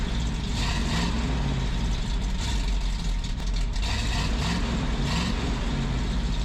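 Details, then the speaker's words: 1978 Ford F250 4x4 from a stalled project, morning start recorded near the single tailpipe: a deep, low V8 burble at a steady idle, mellow and even without rasp or blat. It sounds way better, with the exhaust now properly muffled. "Oh man, that sounds way better, doesn't it?"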